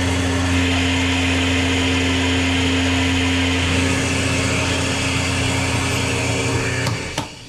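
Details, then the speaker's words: Lagoon 450 catamaran watermaker running with a spare Jabsco pump jury-rigged in as feed pump: steady motor hum and low drone with slight pulsing as high pressure pump builds pressure, boost never dropping to zero, then winds down; working normally. "It's working. Successfully juryrigged the Jabcco scope pump into the system"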